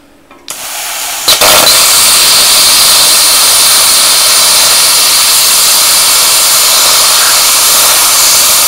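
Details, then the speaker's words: A 40 amp plasma cutter turned back to 15 amps at 40 psi gives a sharp click, then a harsh steady hiss without surging; it cuts quite slowly and not completely through; low-amperage cutting. "yeah it'll come quite slow but it's still cutting it so so well i would have laid money on that that wouldn't have cut that"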